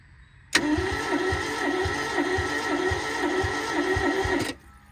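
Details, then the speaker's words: Barn-find Toyota Corolla AE82 4A-GE, injectors plugged in, fuel priming: steady starter whirr with even compression chugs about two a second for some four seconds, never catches; cranks but will not start. "It's definitely priming fuel. Come on, baby, give it to me."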